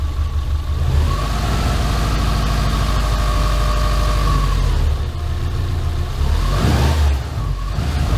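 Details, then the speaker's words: Subaru Impreza rebuilt SOHC engine with two ECUs sharing the crank signal, on its first run after the build. It revs cleanly to high RPM and drops back without stumbling, and the tach works. Normal healthy revving. "So the tack is working good, and obviously it runs up to good high RPM without the crank signal breaking down between the two ECUs."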